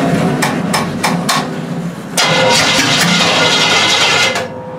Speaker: yeah it's definely up pumping fuel it's totally dry and I put some in the float the float Bowl here